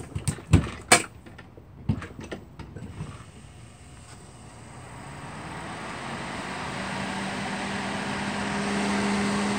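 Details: Duracraft (Honeywell) Heat Furnace Plus CZ-1200 space heater, test run after the heating element repair: a few clicks, then a smooth fan hum builds to a steady even tone with no rubbing or rattle. The fan runs normally.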